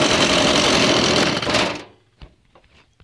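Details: New Stihl MS170 chainsaw, which fires in one or two pulls: the small two-stroke buzzes at a high, even rate of about four beats a second, then cuts off cleanly. It is running normally.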